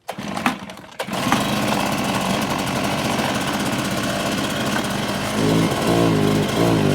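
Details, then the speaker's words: Stihl BR600 two-stroke backpack blower after fuel filter, spark plug and internal hardware replacement, primed and pull-started: settles into a steady, even roar with clean revs, no stumbling or misfire; running like new. "Okay, guys, like new again, you're tuned into Bermuda Grass Central with BYD."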